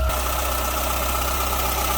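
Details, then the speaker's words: After replacing a pinhole-leaking oil filter that had been overtightened with a wrench, the engine is started to purge air from the filter: smooth, even idle with a steady low rumble, no ticking, knocking or misses; sounds healthy. "so i'm gonna start it up it'll purge the uh air out of the filter and then after i clean it up we can uh double check the fluid level actually sounds pretty good i'll give it that"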